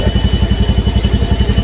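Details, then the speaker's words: Honda Scoopy scooter brought in for brebet (stuttering), after a reset with injector not replaced: even, steady low thump at about eight beats a second, no stumbling or misfire. Normal idle, stutter gone. "mantap ya. Enggak berebet lagi tuh kan."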